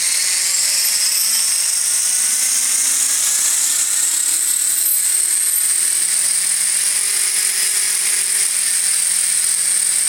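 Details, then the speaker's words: Electric RC helicopter with iKON flybarless governor, Hobbywing RPM sensor, Castle HV ICE II ESC: stunt 1 spool-up after throttle-hold release, whine climbs smoothly then holds steady, no surging; the prior night's headspeed hunting didn't recur. "and obviously now that i've done the video it's not doing it so hopefully all is okay"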